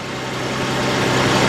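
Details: Chevy LUV/Honda Passport/Isuzu Rodeo 3.2 engine, freshly started after fuel pump replacement: steady, even idle hum with a smooth low drone and no misses, knocks or ticks. Fuel pressure is high, and the owner remarks it seems to have low oil pressure; it runs normally while being checked for leaks.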